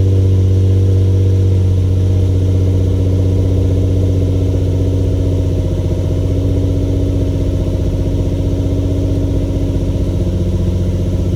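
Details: Infiniti G35 Sport HR sedan, nearly warm, after tightening loose ISR Y-pipe bolts that caused an exhaust leak and high idle; steady, even low idle, smooth regular pulse, no ticking, hissing or chuffing. Normal idle.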